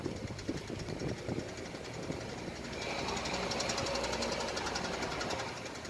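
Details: 7-speed DSG car, both clutches recently replaced, knocking rapidly and unevenly about four per second when coming off the throttle in first or second gear at 2000–2500 rpm below 15–20 km/h, worse steering right, absent in neutral; worn left outer CV joint, replaced and noise gone.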